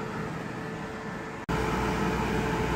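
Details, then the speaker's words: Aprilaire E100 dehumidifier after freeing a blower jammed into its cone by a pushed-up bottom pan (possible shipping damage): steady blower hiss, brief dropout, then a deeper tone as the compressor kicks on while dehumidifying; blower louder than compressor, running normally. "I don't know if you folks can hear the change in the tone there, but the compressor just kicked on. The blower is definitely much louder than the compressor."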